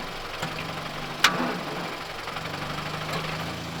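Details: Volkswagen Jetta engine at rough idle: a dull knock repeats in time with the crank over the engine drone. Owner is testing Marvel Mystery Oil on the already-knocking engine as part of an oil change. Worn rod bearing, rod knock.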